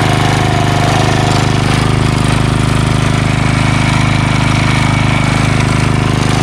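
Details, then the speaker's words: Craftsman 3HP Tecumseh lawn edger after water-contaminated oil change, new carburetor (no leak, primes well), gas line and air filter; even, crisp single-cylinder beat near 170 per minute holding steady, no stumbling or surging, runs like a champ. "new carburetor doesn't leak prime's great got a new air filter on here and this thing runs like a champ now"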